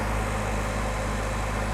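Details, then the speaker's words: Suzuki Samurai with swapped-in 1.6 16V engine, just after replacing fuel injectors to cure a burbling noise in low range first/second gear and ticking; smooth, steady idle with even firing and no ticking or stumble; normal idle. "now she fired right up sounds good i don't hear no ticking now [Applause] nice and responsive i think i got her"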